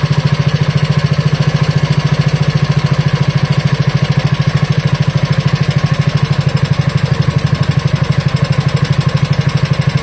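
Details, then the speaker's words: Wisconsin Model AB single-cylinder engine after carburetor clean, rebuild and reinstall, idle set as slow as possible: slow, even thump about ninety beats a minute, deep steady body, no misses or knocks; healthy slow idle, though it eventually died. "That's running That was running pretty slow. Now, of course, it did end up dying after a little bit."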